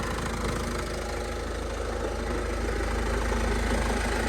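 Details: Idling van that runs but won't drive, with a steady knocking tick about three a second over the engine hum; source not yet pinned down, cause unconfirmed.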